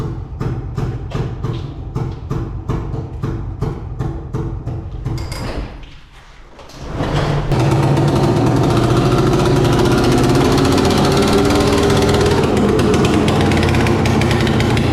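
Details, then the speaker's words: Old two-stroke Polaris 6x6, about 1996, working only in low gear: uneven lumpy beat near 160 a minute at low speed, then a loud ragged rev with no clean note; running badly. "six by six only works in low gear so also not sure if you can hear it don't know how you couldn't runs like so I'm gonna get it in here and see if I can fix it"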